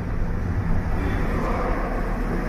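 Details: Fiat Egea bought new, engine noise: rough, gritty low rattle under the engine note as throttle is applied with clutch released, gearbox gear teeth rattling under load.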